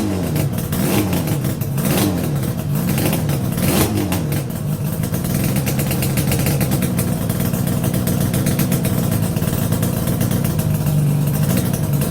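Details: Yamaha RD350YPVS F2 two-stroke after a full rebuild with bearings, seals and rebore: crisp revs rise and fall cleanly with even firing and no knocks or rattles, normal revving of a freshly built engine.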